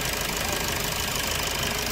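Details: Maruti Suzuki Swift engine just after start with poor pickup and low mileage: fast, light tapping knock; fuel and water temperature readings fine; traced to the fuel filter body, to be replaced.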